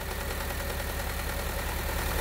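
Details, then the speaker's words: 2010 Honda Civic 1.8L petrol, automatic, code P0303: lumpy stumbling idle; unplugging the coil moved from cylinder 3 makes no difference, so that ignition coil gives no spark, causing the misfire. "You can see there is absolutely no difference. So we know that this coil is not making any sort of spark."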